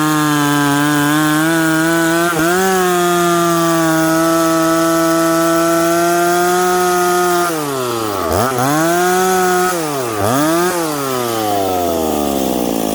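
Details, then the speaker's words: Stock, unpiped McCulloch Pro Mac 850 chainsaw cutting hard dried cottonwood before teardown: high clean two-stroke scream holds steady, bogs down into two cuts and snaps back quickly; revs smoothly, pulls strongly, normal under load. "it's got crack and it's got pull it it revs up smoothly and quickly and friends this stuff is hard"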